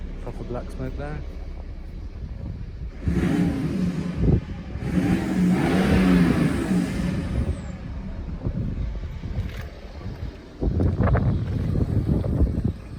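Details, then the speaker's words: BMW E90-series N57 diesel with DPF removed, not yet remapped, smoking slightly: deep drone swelling on two revs, louder and rougher than stock; exhaust note changed after DPF removal. "And then obviously you can hear there's a difference in the sound as well."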